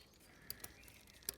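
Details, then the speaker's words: Bicycle rear derailleur on a stand, shifting up from gear 7 with too little cable tension: sharp, irregular chain clicks over soft freewheel patter as the chain tries to shift; adding tension at the adjuster makes it step up. "can hear it clicking now, so it sounds like it's trying to move up into the next gear."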